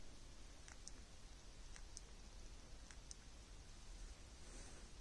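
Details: Samsung Galaxy Z Flip 6, three months old: faint sharp pops at irregular moments from the folding screen over near silence; owner considers it abnormal, cause unknown.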